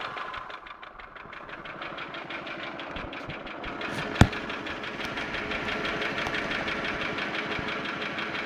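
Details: Holden Commodore VY V6 (Series II Buick 3800 / Ecotec 3.8) at idle: light, regular ticking that keeps pace with engine speed over a steady hum. Owner asks whether it is lifter/valvetrain or bottom end (rod, bearing); unconfirmed.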